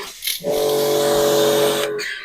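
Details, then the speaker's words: Karcher electric pressure washer, air lock cleared and gun reattached: motor spins up to a steady, even hum holding about a second and a half before shutting off; pumping normally. "Right, we're all back and working."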